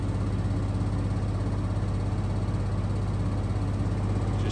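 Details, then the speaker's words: Maytag Bravos washer on final spin at max spin speed, warm/cold wash, medium soil; steady even low hum with no knocking or thumping and little to no vibration, smooth normal spin. "It's spinning extremely fast, which is great for max extraction of the water out of those clothes."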